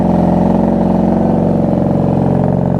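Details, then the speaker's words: 1994 Honda Magna V45 VF750C V4 motorcycle, cold start warming up on choke: steady, even low burble with no misses, knocks or ticks; it sounds good and idles smoothly. "Man, do we even need choke? Woo, she sounds good."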